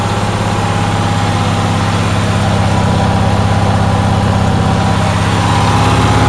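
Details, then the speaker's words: Onan generator in cold weather with the fuel pump fed from jumper cables after an earlier low-voltage pump fault: steady fast drone with an even high pitch and a pulsing beat near 200 a minute; it idles very high, cause unknown. "uh but i'm having another issue it is idling very very high"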